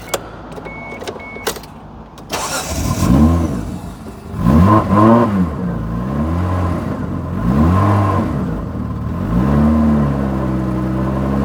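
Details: 1995 Mitsubishi FTO GR first started after 10 years, exhaust broken at the back, won't idle yet: engine catches and revs up and down smoothly several times, settling cleanly each time, no knocks.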